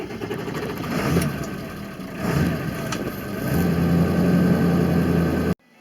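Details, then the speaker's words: 2000 Ford F-350 with 7.3 Power Stroke diesel, which also starts and dies: idle swells and sags about every second instead of holding steady, even on the 1200 rpm high-idle setting, then cuts off; hunting idle. "but occasionally even when i flipped it over to the high idle it would still fluctuate even on the high idle setting on the hydra"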